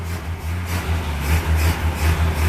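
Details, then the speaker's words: Idle of a Ford Falcon with a suspected 170 cubic inch inline six, on its first start in 17 years. Low, steady, even, gentle idle beat with no knocks or misses: normal idle. "oh pretty cool though 17 years ain't running well listen to her sit right there an idle sounds pretty darn good"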